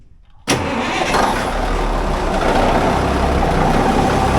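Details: Cummins diesel in the Brupeg trawler, started after realigning the prop shaft to gearbox coupling to cure a gearbox wobble, dial gauge on the new adapter: sharp crank catches at once, settles into deep, even idle, no knocks or misses.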